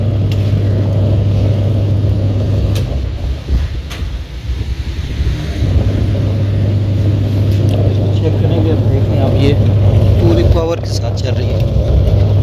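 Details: Washing machine that ran its motor but didn't spin and made noise, after gearbox replacement and refitting the belt: even low motor hum, drum turning smoothly, no grinding or knocking, light clatter; washer runs normally after repair.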